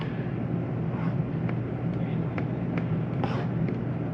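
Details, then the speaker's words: 2022 Jayco Eagle 29.5 BHDS AC switched on from the control panel with the setpoint lowered from 90: steady, even low hum with faint fan rush, no rattles or squeals; normal air conditioner operation. "all right so there's your ac running"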